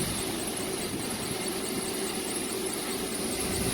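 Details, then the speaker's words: Lennox rooftop package HVAC unit: constant blower rush with a thin high squeal warbling about four times a second while the fan runs; a belt-driven motor is making a squealing noise. "No, I was wrong. That one's got a little bit of a noise to it."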